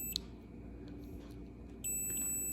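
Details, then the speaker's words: 14-year-old Murray riding mower that won't crank or click, multimeter continuity test on the safety switch without pressing its button: a steady high beep once the probes connect; the normally closed side passes current and works fine. "that side is working fine with without pressing this button here"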